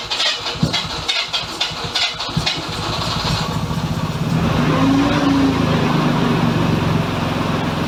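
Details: Mazda FC RX-7 rotary, oiled before start: uneven cranking bursts, then a loud, steady, buzzy idle that stays fast, set as low as it goes; high idle, owner suspects a vacuum leak, not confirmed.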